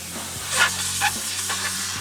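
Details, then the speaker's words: Tractor-trailer air suspension with air supplied: steady sharp hiss of escaping air from a rear airbag, found damaged on its side and dry-rotted, then replaced; air suspension airbag leak. "Customer's complaining of a leak, so let's get some air to it, see where it's leaking. Alright, so we have air supplied to the system. You hear it leaking."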